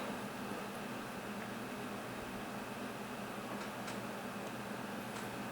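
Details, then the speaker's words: Desktop PC case fans fired up with a dusty Cooler Master Sickleflow 120 green LED fan; smooth steady airflow rush, faint low hum, no ticking or scraping as fans ramp to full speed; normal case fan operation. "But it is spinning. Alright, case fans are ramping up to full speed. I'd say that's operating quite nicely."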